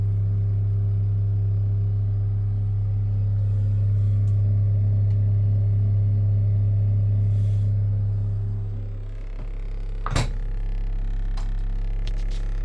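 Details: 173MRB refrigerator: a loud steady low hum that drops away after about eight seconds, then a sharp click; abnormal noise, cause unclear.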